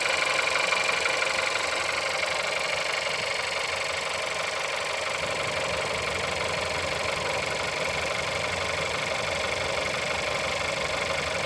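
Cold idle with a sharp, steady tapping, about four knocks a second, riding over the engine's even run.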